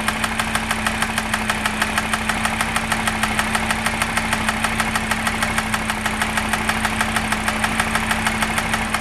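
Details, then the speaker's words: Audi RS Q3, warm idle, stethoscope on cam cover over hydraulic lifters; fast, even light ticking about two per second, loudest from top end, worsening over time and on revving, not timing chain; suspected lifter tap, unconfirmed; ticking at idle. "now the noise has got a little bit worse again so I'm going to use my uh stethoscope here and I'm just going to put it above where the hydraulic lifters are on each camp and just see if I can hear any pronounced tapping"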